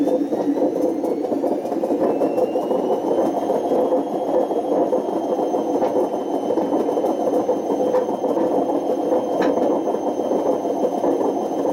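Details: Washing machine spin with thin high squeals over a constant rough roar; badly worn drum bearings, left running until they damaged the spider and excessively wore the motor.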